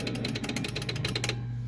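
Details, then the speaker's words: Stern Galaxy pinball after fixing its sound fault, with volume turned toward high: quick bright startup chimes ring clearly for over a second above a steady low mains hum, then only hum remains; sound output now works. "did you hear that we have sound okay let's um start a game here can you believe that"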